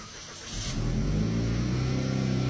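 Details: 2016 Buick Regal Premium 2.0L turbo with a customer-installed used engine that had cranked without starting and was flooded from long cranking: it fires within a second, briefly flares, then settles into a steady idle with no misses.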